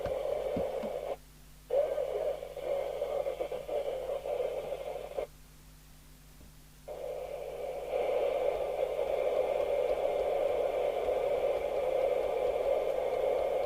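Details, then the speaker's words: Midland 4001 UK FM CB radio after three receiver capacitors replaced, on 23-hour soak test, on channel 19: quiet hiss with voice traffic breaking squelch cleanly; normal receive audio. "And I could hear it chuntering away on 19, swearing as they do. So I'm satisfied this is now working with those 3 capacitors which you changed."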